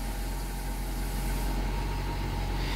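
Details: 2002 Honda Accord 2.3 after no-start traced to a faulty component that activates when touched: engine catches and settles into a steady, smooth, even idle.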